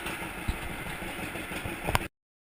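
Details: 1942 John Deere Unstyled A conversion whose engine was stuck, first start after fitting new spark plug wires: a slow, lopey two-cylinder putt at low idle with steady, even beats and no odd knocks; runs healthy.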